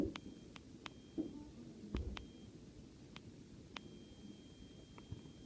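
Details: Sena SMH10 motorcycle headset speaker: irregular sharp clicks, pops and buzzing over a low hiss when the jog wheel is clicked to start the intercom, or during pairing; cause unclear.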